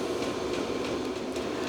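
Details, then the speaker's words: Small VEVOR-type diesel air heater running and heating in a workshop, outlet air around 50°C. Steady airy blower rush with a faint regular tick about three times a second from the fuel pump; normal operation. "all right so this thing it is making a little bit of noise and honestly I was expecting that after all it does have to move some air so there's going to be quite a lot of blower noise and also you can hear that little fuel pump ticking away"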